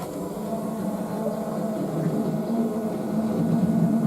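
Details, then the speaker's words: Peugeot 205 GTI F2000/13 slalom competition car, with the cut-off switch turned on before a keyless push-button start: a loud, steady electric hum as the fuel pump primes normally. The start then failed because the battery was flat. "Vous allez entendre la pompe à essence s'amorcer, ça va faire beaucoup de bruit."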